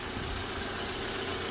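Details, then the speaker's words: 1998 Toyota Corona Premio 7A-FE petrol engine after DIY decoking, running on flushing oil and still on the old spark plugs: a steady, even idle with no misses, stumbles, knocks or smoke. "Все, завел. Двигатель работает ровно. Дыма нет. Работает нормально. Это еще работает на старых свечах."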